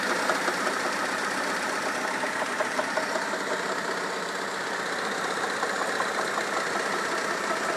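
At idle there's a fairly even light tapping, roughly two to three a second, over the engine hum; the knock's source is unconfirmed.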